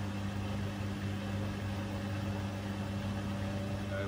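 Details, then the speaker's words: Bosch Serie 4 washing machine, 4 months old, end of 30-minute quick wash, final spin spooling up, camera about two feet away; pretty fast, probably not full 1400, steady hum with faint even whine, no knocking. "sort of into a pretty fast spin there now i'm not sure if it's the full 1400 i don't think so but it is a pretty fast spin"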